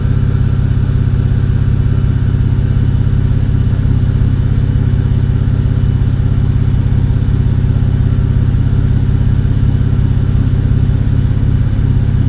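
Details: BMW N52 inline-six after coil swap test for earlier cylinder 2 misfire: smooth, even idle with steady low hum, no stumble; live data smoothness values normal on all six cylinders, no faults.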